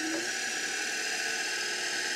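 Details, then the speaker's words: Electric motor with speed control turned all the way up, 1720 RPM: steady high-pitched whine at an even pitch with no roughness or rattle; runs normally at top speed, owner expects high torque. "oh look it's throwing out spiders and stuff that's all the way up 1720 RPM but I bet it's got a ton of [Laughter] torque"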